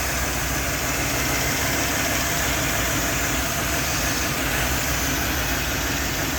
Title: 5.3 bad injector/ rough runner